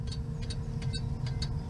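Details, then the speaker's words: 1997 Pontiac Firebird V6, 5-speed manual: light, quick turn-signal relay clicks about four a second over a low engine hum; hyperflash, said to be common on these, cause unknown. "Like, it'll click, click, click, click extremely fast. I don't know exactly what the issue is with that, but these tend to do it quite a bit, and I will show you that."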